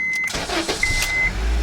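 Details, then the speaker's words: 2006 Honda Civic that intermittently failed to start, tested after fitting a used replacement ignition switch. Brief chime, a quick crank, then it catches promptly into a steady idle; it starts normally. "If it starts on the first time, we're probably good."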